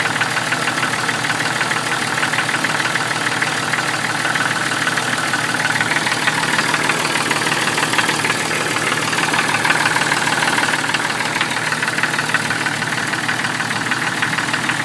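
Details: 1996 Jeep Cherokee idling: steady, fairly regular knock about three times a second under busy mechanical clatter, owner thinks it comes from inside the oil pan; cause not confirmed.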